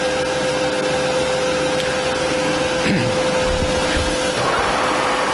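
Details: Harrison M400 lathe (2.2m bed) after a full strip-down service, spindle running at 250 rpm; steady mid-pitched hum from spindle and gears, even, no grinding or clunks: normal healthy running.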